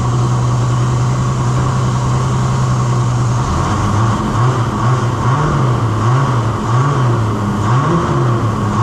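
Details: Holden LX Torana 202 six, rebuilt with adjustable roller rockers and Holley Sniper, run briefly without rocker cover or water pump. It fires and runs steadily, then the drone wavers as revs rise and fall. Even running, no knocking or tapping.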